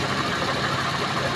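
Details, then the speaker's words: Suzuki Multicab (DA64V/DA64W/DA17V/DA17W series) small petrol engine at idle after its hose was rearranged; it starts on one click and has a steady, even, quiet hum with no ticking or knocking. No leaks underneath, so a normal healthy idle. "So tahimik na yung makina. Ano? Tahimik. Ang ganda ng minor."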